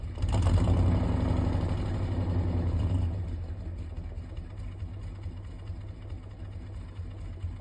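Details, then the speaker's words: Petrol engine that was previously blown up still runs and drives; it catches, revs, then idles with a faint regular tap about four per second, chirping and knocking a little; the knock is suspected, not confirmed. "I did until I blew it up, but it still runs and drives. It just doesn't, just chirps and knocks a little bit."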